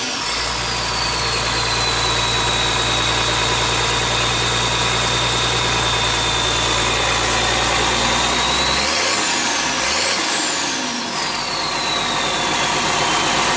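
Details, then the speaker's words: International 7100 dump truck with DT466 diesel, first start after in-frame overhaul with fresh head, liners, pistons, rod and main bearings, and radiator. Steady, even idle with low rumble and an airy whistle and hiss on top; runs clean and settled. "get back here where you can hear i'd call that a success or run it"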